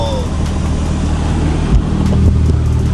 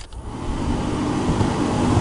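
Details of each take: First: Turbo NB1 Mazda Miata, a barn-find car, engine running after the blower fan was removed and cleared of debris. Smooth, even fan rush with no rattle or scraping, much quieter; normal blower fan operation. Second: Turbo NB1 Mazda Miata with freshly refilled AC: the cabin blower fan under the passenger side is very loud, louder with the engine and AC on. Steady loud airy roar building over half a second; debris in the blower fan.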